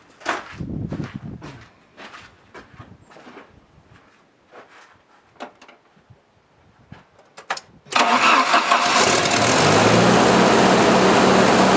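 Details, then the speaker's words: 1986 Jeep XJ 2.5L after repairing the DC idle speed control motor with a new rear bushing: clicks, then start-up at a slightly raised idle that creeps back down, showing the motor working properly. "and what happens is when you start it it gives it a little bit higher of an idle and then as you heard after I started the idle Creek back down so this thing's working pretty good"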